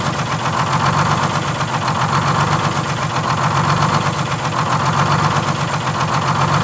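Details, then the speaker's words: 1947 Silversides bus, Detroit Diesel 6-71, during governor adjustment: deep diesel idle swelling and sagging about every second and a half; hunt from a misadjusted governor buffer screw being worked out. "yeah i just want to make sure i get the hunt out of it real easy but you did did you notice that's what i was doing yeah oh yeah that's just the buffer screw"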